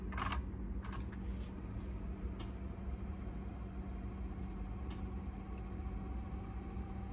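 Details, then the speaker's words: Teac cassette deck after idler tire replacement, cover being reassembled: only a faint steady low hum with an odd light click, no squeal, rumble or flutter; deck runs very quietly. "okay guys so now I'm assembling the cover back and it's very quiet that's good to know"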